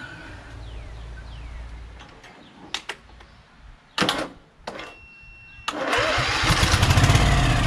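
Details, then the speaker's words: Vanguard small engine, hard starting: short cranking bursts that won't catch, then it fires and runs ragged. Cranking to let the fuel pump fill, with choke and starting fluid. Tank area was exposed to rain, so the owner wonders about water in the gas; cause unconfirmed. "but i think we need to crank it more to allow the fuel pump to work to get the fuel in there you know it's going to crank a bit"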